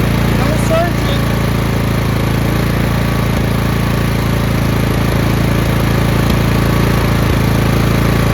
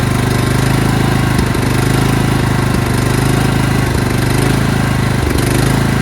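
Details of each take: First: Craftsman LT2000 lawn tractor engine after fuel line replacement, which still left a slight surge; with the fuel solenoid cut off it holds a steady, even single-cylinder idle with no surging. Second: Craftsman LT2000 lawn tractor engine starts and runs fine, then after 10–15 seconds surges with an uneven hunting beat, gasping for fuel; fuel starvation, with old fuel line, fuel filters or fuel solenoid suspected.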